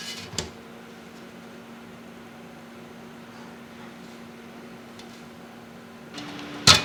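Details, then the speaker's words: Scythe Fuma 2 Rev. B dual-tower CPU cooler on a 5800X, fans at full 1500 RPM (25% more than the original), about +4 dB measured from 20 cm: steady airy whoosh with a faint hum, no ticking or rattling, normal healthy fan noise. "So yeah, it's quite a bit louder, so if you're running a lower powered chip and you're concerned your stock fan curves could result in added noise with no apparent gain"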